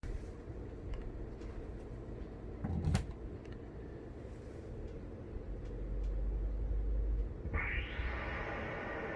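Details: Polk PSW125 subwoofer making a low, uneven rumble with scattered thumps and crackles; it needs repair, cause unknown.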